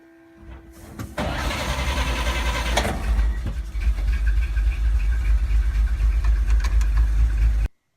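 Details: 1941 Dodge WC12 started after a missing charge light was wired in for its GM 3-wire alternator: brief crank, fires and settles to a deep, steady low idle with an even beat and no knocks; normal start and idle.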